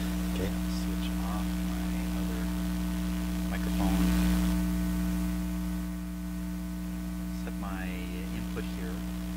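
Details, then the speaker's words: Traynor 8/201 analog mixer under test, microphone on channel 1, sub 1 output raised: constant low, steady buzz-hum under faint room sounds; mains hum on the output, owner pretty sure it comes from the mixer, not confirmed. "Again, all the hum we're hearing is coming out of this guy, I'm pretty sure."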